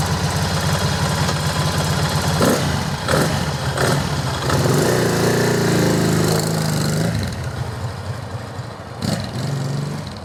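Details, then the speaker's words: 1978 Moto Morini Strada twin idling after replacing corroded rockers with rebuilt sets, rocker boxes still off; even idle with one throttle blip, steady firing without ticking or knocking, sounds improved and healthy. "well i think that sounds like an improvement to me and that's even without the rocker boxes on"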